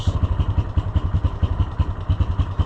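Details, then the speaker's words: Yamaha Rhino side-by-side, hot engine: low idle with a loping clatter of roughly nine uneven knocks a second; it accelerates well but idles poorly and can stall, cause not yet known. "There it's doing what what we're after it for. It doesn't idle worth a crap."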